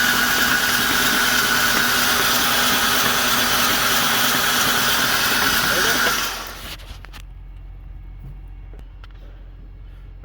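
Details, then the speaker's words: Ford Ranger engine hydrolocked with oil after the truck went on its side in a ditch: spark plugs out, ignition and fuel pump relay disabled, fast even starter whirr without firing for six seconds then stops, clearing oil; driver's side cylinders had much more oil. "so you can see that driver's side that's the side the truck was on definitely had a lot more oil in it than the other side did the other side did have oil but this side had a lot"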